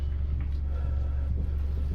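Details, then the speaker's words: 2015 Mazda CX-5 driving after replacing the front anti-roll bar links to cure a front suspension squeak, air conditioning off: only low even road rumble, no squeak or knock; suspension now quiet. "выключил кондиционер пока не смотря на то что сегодня плюс 30 слышите тишину и я ее тоже слышал"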